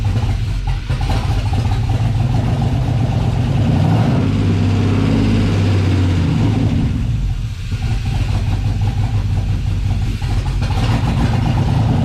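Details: LS-swapped 1988 Firebird on first start after fuel system install, new ECU, oil pan low; deep lumpy idle surging and sagging without settling, no ticking or knocking; runs poorly, owner suspects the new ECU still needs to learn.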